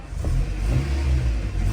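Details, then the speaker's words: 1999 Toyota Tacoma SR5 4x4, 2.7L 3RZ inline-four (about 150 hp), five-speed manual, 69k miles, revved outside: revs climb and drop cleanly with deep smooth exhaust note, no knocks or rattles; healthy engine. "Whoa. Whoa, exciting. Very exciting. About 150 horsepower, 2.7 liter 4-cylinder."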